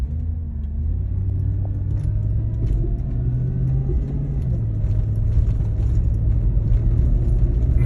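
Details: 2005 GMC Yukon Denali XL 6.0: low steady drone with faint whine rising under acceleration, fading off throttle, also heard revving in neutral; persists after power steering pump replacement and hydraulic flush; cause unclear.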